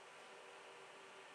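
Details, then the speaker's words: HP ProLiant DL360 G7 server starting POST with HP static low power mode: loud even rush of fans at full speed with faint hum, no rattle or grinding; normal startup fan ramp. "so we can see that the blinking light so that means that it's performing its checks the fans will be quite load blasted uh configures them"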